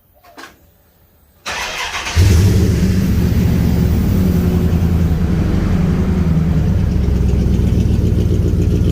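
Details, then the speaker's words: 1950 Dodge pickup, first start after a fuel pump replacement: the starter cranks briefly, then the engine catches and settles into a steady, even low idle with no knocks or misses; runs fine. "now y'all can see that it runs."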